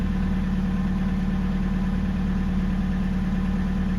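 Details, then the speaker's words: VW TDI diesel after installing an electric lift pump: smooth, steady idle with a constant low drone and even rhythm, no misses or knocks; sounds good. "sounds good do the start one more time"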